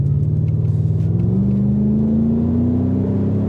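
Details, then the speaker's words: Lexus LS400 V8 with welded differential, driven with traction control off; deep steady boom as revs climb smoothly from pull-off, low droning exhaust resonance filling the cabin. Exhaust drone under acceleration. "It does sound good, though. Yeah, but it's just when you're trying to, like, initially pull off, like, when I try and sneak out early down my road, you just can't."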